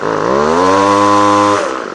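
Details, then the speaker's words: Two-stroke line trimmer (whipper snipper) after a repair for hard starting and stalling, with the carburettor high and low settings readjusted: climbs smoothly to a steady high buzz, holds without surging, then drops back. Now running normally. "okay well I believe that's enough for proof of concept it works fine"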